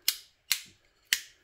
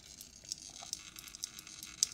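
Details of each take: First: Three crisp, even clicks of a new chrome Click wall light switch toggled on and off, fitted to replace a 6-month-old Lap switch that was arcing badly; normal operation. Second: Six-month-old Lap wall light switch arcing badly inside, irregular sharp crackles and faint hiss as current jumps its contacts; it was not sparking the day before. Replaced with a Click switch.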